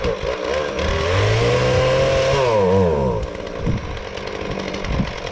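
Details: Husqvarna 450 X-Torq two-stroke chainsaw with new bar and chain, first start: burbles and surges, revs wander then sag, rich on the top end; owner later suspects carburetor out of adjustment; rich running.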